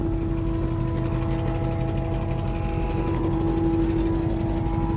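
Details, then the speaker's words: Ford F250, said to have about 86,000 miles, with possibly off timing and misfires: steady mid-pitched whir over a rough, lumpy idle, first heard since purchase. Owner suspects the fuel pump; whirring noise at idle. "Let me turn that off. Okay. Actually, I don't need to do that. It works. I don't know what that sound is."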